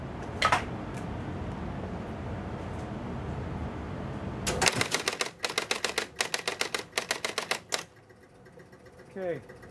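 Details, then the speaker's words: Gottlieb 1975 Spirit of 76 electromechanical pinball on credit: fast, uneven clatter of stepping units and relays for about three seconds as the startup reel keeps running after reset; intermittent fault. "machine Runs Through It startup sequence which resets everything but you can hear the startup reel still running so I don't have a schematic for this machine I'm not sure exactly what's wrong but I do know it's intermittent"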